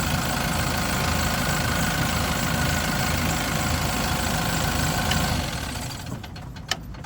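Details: Yale diesel forklift, started on a battery boost: steady diesel clatter at even idle for several seconds then dies away; normal diesel idle.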